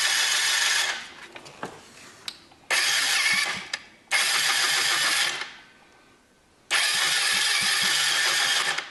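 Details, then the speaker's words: 2004 Yamaha Zuma 50 with no-start condition likely traced to misassembled starter clutch conical washer; after reassembly, three bursts of starter whirring with compression but the engine never fires; cranks but does not start. "Just hit the start button and see what happens. Well, it sounds like it's making compression."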